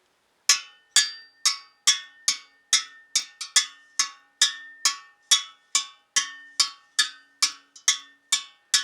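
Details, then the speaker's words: Triumph Bonneville T140 rear wheel, freshly rebuilt, 40 spokes, second side tapped in turn: similar clear ringing notes all round, tension even; this side sounds different as its spokes stand more vertical due to rim offset. "There we are, they're all playing evenly and equally."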